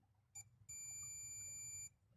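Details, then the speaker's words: Multimeter continuity test on a spliced wire during a kill-switch install on a VW Golf/Jetta Mk5; a single steady high-pitched beep of about one second sounds as the probes touch. Continuity present, wire good. "so if we hear a be that means the wire is good now we can go ahead and continue with with the installation"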